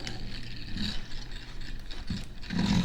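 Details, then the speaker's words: Vintage Signatrol mechanical neon sign primary flasher, dated 1962 or 1982, speed adjuster varied: uneven whirring with scratchy ratchet-like clicks and a dry rasp from the gear train; stiff parts, owner suspects it needs lubrication; dry mechanism noise. "wires are kind of stiff so they're kind of sounds like it might need a little bit of lubrication it's probably a little old."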